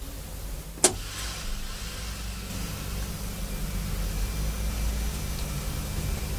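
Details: Hammond L 222 organ tonewheel generator, previously squealing, after 10 days of daily sewing-machine oil drops: click at start, then the motor spins up to a quiet, steady hum with no squeal; normal running after repair.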